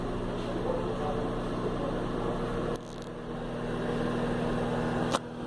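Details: Philco microwave, model PME31, after repair of an abnormal noise and no-heat fault at the magnetron connector: a steady, even hum with a low electrical buzz and no rattling or grinding. It runs normally and heats again.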